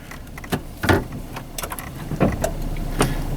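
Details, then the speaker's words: 1998/2003 Chevy S-10 with an intermittent four-wheel-drive complaint, parked in neutral at idle; scattered clicks and clunks as the transfer case shifts cleanly into four low, so the shift motor is likely fine. "Definitely hear the transfer case shifting. That's too high. So, it appears that the transfer case is definitely shifting."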